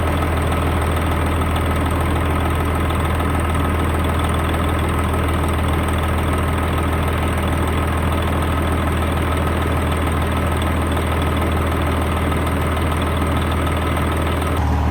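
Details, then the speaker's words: Semi truck just after its first fire-up following engine repair: even diesel clatter at a steady idle, no misses or hunting, then a short throttle blip. Runs smooth and healthy. "[Music] sound good it does sound good don't it"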